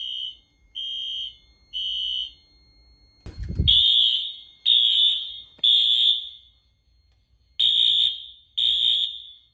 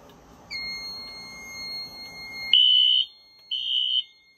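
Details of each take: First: 2000s Wheelock AS fire alarm horn on Fire-Lite MS-9200UDLS panel sounding in groups of three blasts, tone slightly wavering from running on unfiltered AC power. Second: 2000s Wheelock AS fire alarm horn on Fire-Lite MS-9200UDLS panel, panel unplugged: two loud steady blasts, no longer wavy in pitch.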